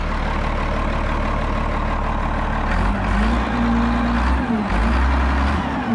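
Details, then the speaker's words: Road grader 8.3 Cummins diesel after rebuild, pump drive removed from back of crankshaft which mostly cured a knock: even idle picking up smoothly under throttle, no knock or miss; running healthy. "Yeah, you just love to hear them run after you get them done."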